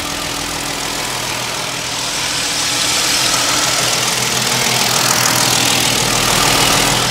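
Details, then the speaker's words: 2009 Hyundai Genesis BH380 3.8 L gasoline, about 162,000 km: smooth, quiet, even idle with steady hum, no misfire, knocks or ticks; engine healthy. "일단 엔진 부조되는 현상 전혀 없는 차량이고 엔진 소리도 뭐 잡소음 없이 굉장히 조용한 소리 잘 들려주고 있는 차량입니다."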